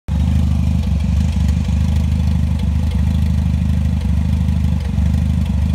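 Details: Toyota 3S-GTE Gen 3 engine after warm-up: deep, lumpy idle with an occasional stumble every second or few, a strange misfire making the idle rough.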